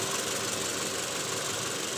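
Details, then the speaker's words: 2008 Toyota Previa, 186,000 km, after replacing the worn balancer shaft gear and bearings the engine runs much smoother, but the AC compressor still sounds coarse and gritty with an uneven rattle while spinning. "ini memang ada sedikit catatan nih suara kompresornya kasar ya kalau pas muter"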